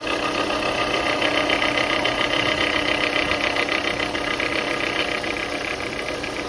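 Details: Car idling with a thin, constant whine over a steady idle, shown in a bad-versus-good alternator comparison; failing alternator noise.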